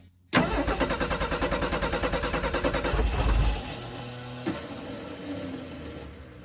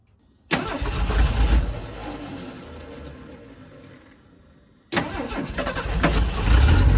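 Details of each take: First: 1984 Ford F250 recovered from flood, on jump box with carburettor bowls run empty and gas cut off: even cranking roughly three beats a second for about three seconds, winding down without firing; no fuel to carb. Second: 1984 Ford F-250 revived after flooding, cranking on a jump box: starter spins the engine briskly with an even quick beat, a lot better than before; healthy cranking.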